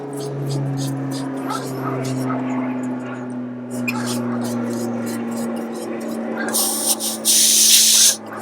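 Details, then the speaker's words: Gas canister held upright with the stove valve off, the stove screwed on through the canister's Lindel valve; a steady low hum, then a short sharp hiss of escaping gas on connection. This is the normal brief puff. "You've all heard the sound of gas escaping when you put a stove on."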